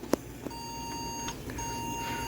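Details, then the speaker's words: Yard-sale desktop PC at power-on: a few clicks, then steady high POST beeps. The beep code was read as a memory issue, so the RAM was reseated. "all right the beep code from what I could tell indicated a memory issue so I reseeded it so we'll try it again"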